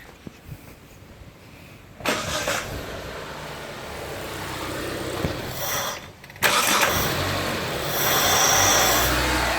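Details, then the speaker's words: Mitsubishi Lancer idle air control check: engine fires after a quiet pause, cuts, restarts after key flicked back and forth, then revs climb and hold steady; normal idle recovery after restart. "that so that's the car recovering I flicked the key back and forwards"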